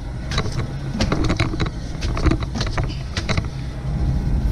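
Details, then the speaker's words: BMW E46 M3 front driver-side wheel spun by hand with a deep steady rumble and irregular scraping ticks, roaring louder as it speeds up: a badly worn front wheel bearing, before replacement. "you hear that now if you go faster and faster that thing is like roaring like a lion"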